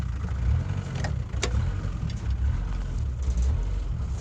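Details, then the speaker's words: Old mechanical-injection diesel truck running on sunflower/vegetable oil: low clatter at idle rising and sagging unevenly about once a second with no pedal input; rough idle. "as you can see it's not very happy that's nothing to do with me my foot's nowhere near the pedal"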